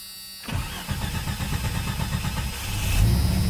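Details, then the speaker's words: 1989 Jeep Cherokee 4.0L I6 Renix, AW4, just fitted with a new DieHard Platinum AGM battery: quick, even cranking at about four beats a second catches cleanly within three seconds, showing a strong battery and a healthy starter. "there holy hell you hear how fast that thing turned over oh my God that is awesome this motherfucker's got some amperage holy hell nice"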